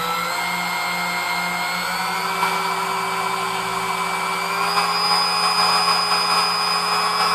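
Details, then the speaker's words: New-in-box Sunbeam Mixmaster Model 11 after service (cleaned, lubed, gears polished, beater gap tightened): smooth steady motor whine creeping slightly up in pitch, no grinding or knocking; runs like brand new. "all right so I mean it does run like brand-new which is kind of what we suspected it would do"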